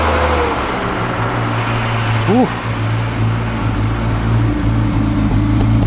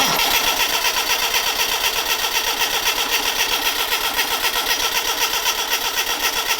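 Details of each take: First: Classic Mini Clubman campervan, first running after pressurising the fuel tank by blowing into it so the pump could draw fuel: steady low idle, slightly lumpy, no taps, knocks or bangs; mechanically sweet. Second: Classic Mini Clubman campervan, sat unused for years, first start attempt right after adding fuel: steady rapid cranking about four turns a second, never catching; crank-no-start, fuel not yet pumped up suspected, spark and leads to be checked.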